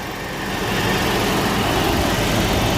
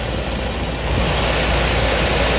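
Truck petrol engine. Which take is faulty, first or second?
second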